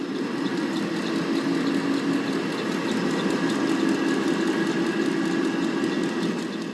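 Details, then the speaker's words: Blower fan with slack V-belt (belt stretched over time, tension not readjusted); steady fan roar with irregular slap and quick squeaky chirps about twice a second as the belt flaps and slips, wasting power and wearing the belt. "벨트 파닥거리는 소리하고 삑삑삑삑 미끄러지는 [음악] 소리죠네 저렇게 벨트가 토닥거려 서리가 날 정도 되면 연 이제 벨트가 많이 미끄러지고 그래서 미끄러지면 그만큼 동력에 손실이 생기겠죠"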